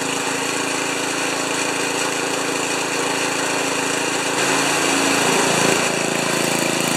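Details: Old five-horsepower Ariens 2+2 snowblower engine at about three-quarter throttle after clearing a tiny hidden hole in the carburetor main jet: steady, even beat with no surging or missing; running healthy.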